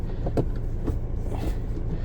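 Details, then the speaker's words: Suzuki Jimny the day before its MOT: heavy, lumpy uneven rumble, whole car physically vibrating at idle; at 2,000 rpm vibration stops but still sounds wrong; it cut out when pulling up, gears hard to find; owner suspects clutch or gearbox. "it's physically vibrating at idle you get it up to 2,000 RPM doesn't sound right but it stops vibrating"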